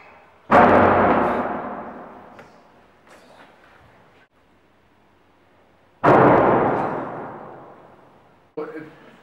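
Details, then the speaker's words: Hostel room door that does not close properly and binds, needing a lot of force: two loud, sharp door bangs echo through the room as it must be slammed shut. "makes quite a quite a huge bag it really interrupts the studying it's it's really difficult you know it takes a lot of force and it's really irritating"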